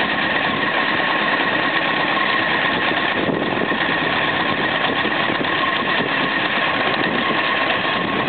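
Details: 1995 Honda CBR900RR, warmed up, idling very low (idle screw maxed): light ticking knock from high on the engine, mostly gone by 2000 rpm; owner suspects loose cam chain.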